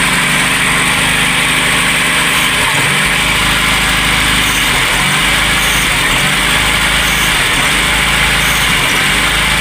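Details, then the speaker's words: VW Golf/Polo Classic with MP9 injection, cold start after carbon cleaning while fixing hard starting and a fluctuating idle, MAP sensor plugged in: smooth, even idle with steady pitch and no hunting. Normal, stable cold idle. "But, it's maintaining a steady idle cold start."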